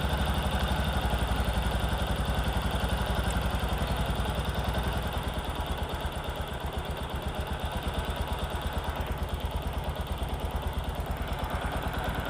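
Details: Discover motorcycle, in a clip about mileage and engine-sound problems: steady, even, low thumping single-cylinder idle with a smooth unbroken beat and no knocks or rattles; sounds healthy, a normal idle.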